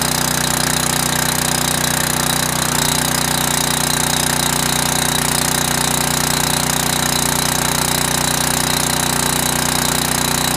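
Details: Generac 5000 W portable generator, cold start on full choke with automatic throttle, governor holds low warm-up rpm before 3600 rpm (60 Hz): steady, even clatter with no misses or surging; healthy.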